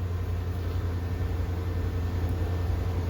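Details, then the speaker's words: Ford F-150 V8 shop truck, dead cold start: deep, steady rumble with an even beat and no knocks or ticks; runs pretty good with good oil pressure. "Actually, it runs pretty good. Good oil pressure."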